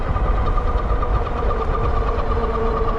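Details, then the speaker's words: Wallke H7 AWD e-bike, 48V 40Ah battery, 1000W rear and 750W front geared hub motors, climbing a hill on throttle only: steady mid-pitched whine over road and wind rush, motor whining under load; cause unknown, cleared on its own. "and that motor is making that noise again not sure why it does that it did that on the h 9 as well but it cleared out"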